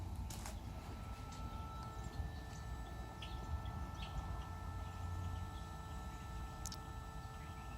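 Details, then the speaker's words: Mercedes electronic throttle body, ignition on, engine off: faint steady electrical buzz with fine high tones, normal hum of a working electronic throttle that self-calibrates. "Hear that faint buzzing noise. It's coming from obviously the throttle."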